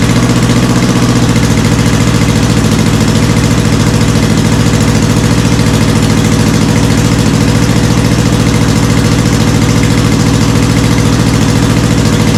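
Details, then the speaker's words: Honda CB450 Black Bomber, cold start on choke with idle stops set and small mufflers fitted, checking a possible cam chain rattle: loud, steady idle with an even beat of about three pulses a second and no chain rattle; healthy. "It's loud, but it doesn't sound too bad."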